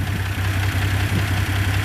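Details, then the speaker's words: Rambler engine that lost power climbing a hill: low lumpy idle with regular stumble about three times a second; cylinder 5 misfiring with no compression, no smoke; owner hopes stuck valve or bad seat, fears cracked head. "coming up a hill I lost power it was misfiring and so I lost the number five cylinder no compression"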